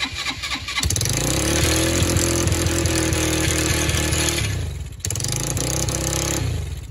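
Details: Free four-wheeler (quad) with spark confirmed, solenoid jumped because the start button doesn't work; cranks, catches and revs unevenly, dies around five seconds, restarts and fades; hard starting, carburetor needs fixing, cause unconfirmed.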